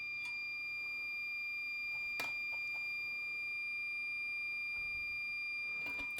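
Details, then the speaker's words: Soldering station beside a 2015 13" MacBook Pro Retina A1502 logic board repair: steady high-pitched alarm over bench clicks, station showing SC error, usually from an incorrectly inserted tip; possibly a broken tip. "okay my soldering station just decided to freak out on me not exactly sure why it's doing that um fx yes oh got an sc error it's usually caused by a tip that's ins and correctly inserted into the handle huh interesting"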